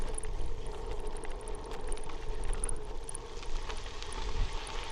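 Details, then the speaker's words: Bicycle ride just after a bump, following a descent of the Wood Canyon fire road: faint, very high metallic chirps repeat irregularly over low wind rumble; source on the bike unclear. "You might need headphones, but do you hear that high-pitched metal chirp that just started?"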